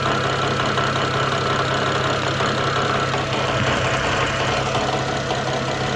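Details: BMW N54 engine at idle: steady low drone with an irregular light knocking underneath; source of the noise unclear.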